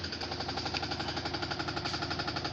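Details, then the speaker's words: Samsung washing machine during spin: fast, evenly spaced heavy knocking, about eight per second, as the drum vibrates and bangs; the cause is not stated. "जैसे कि आप देख रहे हैं ये washing machine है, तो ये इसका ड्रम किस तरह से वाइब्रेशन कर रहा है।"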